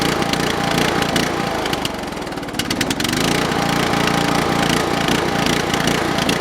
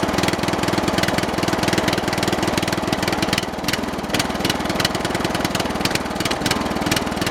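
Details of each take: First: Briggs & Stratton 13 hp OHV on an MTD/White LT300 tractor, started after reassembly with a used snowmobile fuel filter fitted. Revs rise and sag, dipping then recovering; owner suspects water in the float bowl, surging. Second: Briggs & Stratton 13 hp OHV engine on an MTD/White lawn tractor, previously seized and sat over a year: strong, steady single-cylinder beat at about 200 pulses a minute with no knock or hunting; runs healthy, carburettor may still need cleaning for possible water.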